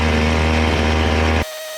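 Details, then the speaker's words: Chainsaw at high revs after carburetor high-speed jet adjustment. A crisp, even scream held steady for about a second and a half without stumbling or four-stroking; the saw pulls cleanly. "then to adjust the high speed you just rev it up and adjust it until it sounds good"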